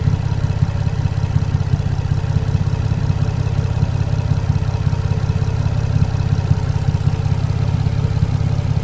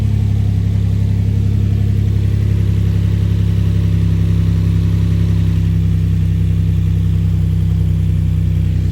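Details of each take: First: Infiniti G35 with newly installed exhaust, after a smoking scare and a heard squeal, idling before a drive: steady, even low rumble with a regular pulse and no knocks, squeal or misses; normal idle. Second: Infiniti G35 after exhaust install and valve cover and oil work, oil found in coolant and smoking; loud heavy droning idle with deep even rumble, louder than expected, cause unknown; valve cover leaking.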